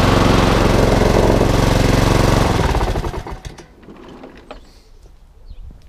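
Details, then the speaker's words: HRX476 mower, fully serviced, drive belt rerouted over the back pulley after being installed incorrectly: small single-cylinder engine runs even and steady for a couple of seconds, then shuts down cleanly with no misses; drive strong, rotor clutch works. "all now up and running. The drive now is as strong as anything."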